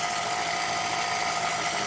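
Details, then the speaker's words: 2001 Dodge Grand Caravan after transmission and torque converter reinstall: steady harsh high-pitched scraping hiss while running, seems from the middle; grinding noise, cause unconfirmed. "I don't think I need to take off the valve cover it does sound like this in the middle"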